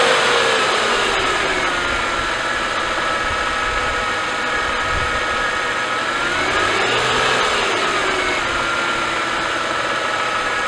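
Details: Mercedes-Benz M272/M273 (S211 E-Class) at cold start idle: light fast rattle and drifting whine, about four beats a second, engine stumbling; low oil pressure from leaking oil pickup tube O-ring, fixed by replacing it.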